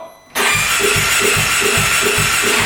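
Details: 2017 Polaris RZR 570 UTV during head gasket pressure check: even starter cranking about 2.5 pulses a second, turns freely but never catches; no blown head gasket sign.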